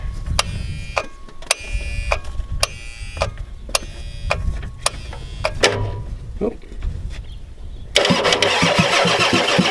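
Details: 1993 Ford F-250 7.3L IDI diesel, battery getting weak, glow plugs or relay suspected bad: slow, uneven cranking with sharp clicks, then louder churning, never fires; owner suspects fuel pump bad.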